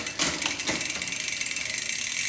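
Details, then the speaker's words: Newly installed SRAM Eagle GX 1x12 drivetrain, 32T oval chainring, bike on stand, cranks turned: fast even ticking about twenty a second with bright metallic chatter on large cogs; owner suspects B-gap/B-screw adjustment needed. "Ține minte că acesta este pe stand și acesta este zgomotul când merge așa cum trebuia."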